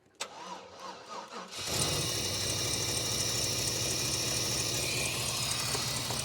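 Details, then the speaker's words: 1995 GMC, timing off: slow dragging crank about 1.5 seconds before it catches and idles; hard cranking from incorrect ignition timing, later corrected to 0°. "so you can literally hear the difference when it cranks before when it was cranking it had kind of a draw back you tell the timing was off"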